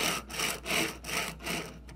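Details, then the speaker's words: Thrustmaster FCS (T16000M) throttle fitted with metal bearing sliders instead of polymer ones: repeated smooth, even rasping swishes as it sweeps back and forth; metal bearings noisier than polymer, normal rolling noise. "are definitely more noisy than if I flip this around real quick so I can hold it with my pinky. This is a lot quieter, but also significantly smoother than this."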